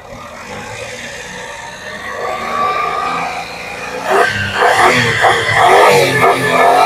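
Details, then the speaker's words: Daihatsu Xenia 2014, 1000cc upgraded, used car: revved from low rpm progressively higher, tone staying round and even with no metallic rattle, vibration smoothing as revs rise; healthy engine. "Nah suaranya ini kalau digas dari RPM pelan E ningkat-ningingkat dan terus di lebih kencang lagi dia tidak berbunyi yang aneh artinya tetap bulat dan tetap semakin kencang mesinnya eh getaran mesin makin halus"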